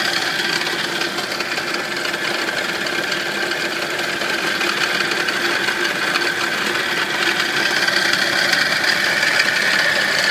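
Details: Nissan 240SX petrol engine idling with a dry, busy rattle tapping a little over twice a second; the owner asks what causes it, cause unknown.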